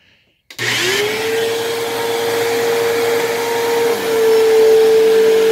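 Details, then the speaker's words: Dyson DC07 vacuum switched on after sitting a long time: the whine climbs fast, makes a funny startup noise, then settles to a steady hum. Owner suspects dried-out brush roll or motor bearings. "unfortunately it appears that this machine sitting for a long time meant that either the bearings in the brush roll or perhaps in the motor have dried out a little bit"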